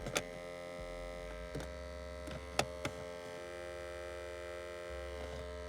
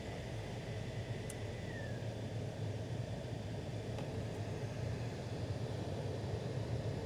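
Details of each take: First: Toyota Altezza / Lexus IS300: sharp, irregular clicks over a steady electrical hum from behind the dash, traced to an A/C servo (blend door actuator). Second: Toyota Altezza / Lexus IS300 after repairing the A/C servo actuator behind the dash that caused clicking: steady, even rush of air from the blower with a low constant hum and no rattles or ticking; noise gone, blower running normally.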